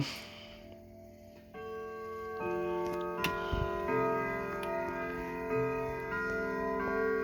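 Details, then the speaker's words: Sligh triple chime clock after full repair, playing Westminster chime: clear, even bell melody over a steady tick, every note sounding cleanly; working properly. "all right hang on one minute as you can hear it sounds really well but hang on there we are okay so you heard westminster some people call it westminster"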